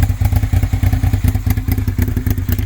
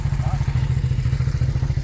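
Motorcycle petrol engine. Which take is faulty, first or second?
first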